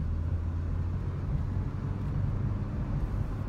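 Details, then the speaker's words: 2007 Honda Civic EX with manual transmission, driving in second gear. A steady, deep engine drone holds at high revs in the low gear with no knocks, a whining note the driver uses as the cue to shift up. "I just listen to the engine if the engine sounds like it's whining or if it if it needs a I don't know like like a little bit of a break like it does like"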